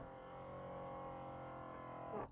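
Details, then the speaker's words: Mercedes W220 S-Class (S320/S500) showing an "entrance position do not drive" fault, after steering column module normalization: the column adjuster motor hums for about two seconds, moving up and down with no input, cause unconfirmed. "It goes up, now it goes down. I don't even touch it. This is very strange."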